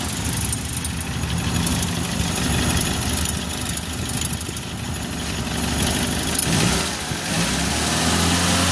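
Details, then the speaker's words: 1994 Suzuki Carry 1.0 idling after repair of a rough, knocking engine suspected at the timing cover bearing: smooth, even idle with one clean rev and no clatter; the engine now runs healthy. "sudah halus lur, mesinnya sudah halus, tidak seperti sebelumnya sebelum dibongkar ya lur."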